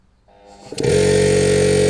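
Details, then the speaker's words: Air compressor newly fitted with SSR soft start: motor ramps up gradually over under a second, then settles into a steady even drone with clear tone; smooth, gentle start working. "We plugged it in , and it's running because the ball isn't holding or something. Now, can you hear the soft start?"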